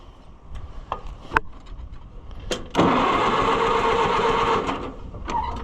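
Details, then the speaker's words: Oliver 550 loader tractor, long abandoned: a few scattered knocks then about two seconds of steady starter cranking that never catches; owner doesn't think it's getting spark. "Chew on that. Chew on that. I don't think we're getting spark yet."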